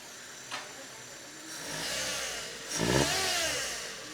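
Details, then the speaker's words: Maruti Zen MPFI petrol engine being revved, timing belt cover loosened, checked with stethoscope: harsh rattling hiss rising and falling with revs; noise traced to a worn timing belt tensioner bearing. "ചെയ്യാം അതെ ഇതിന്റെ ടെൻസറിന്റെ ഭാഗത്തുനിന്നാണ് ഇതിന് ശബ്ദം [സംഗീതം] വരുന്നത്"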